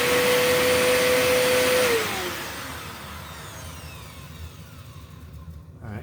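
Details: Eureka The Boss Capture bagless vacuum after repacking two brushroll bearings and replacing a broken belt: steady, clean motor hum, then spins down evenly; a slight squeak was suspected from the motor, nothing rubbing.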